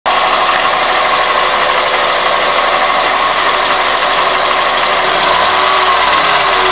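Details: 2001 Toyota Corolla at idle: thin steady high-pitched whistle, intermittent when throttle blipped; persists with belt and IAC removed; fixed by cleaning dirty throttle plate and IAC valve and installing new throttle body and IAC gaskets.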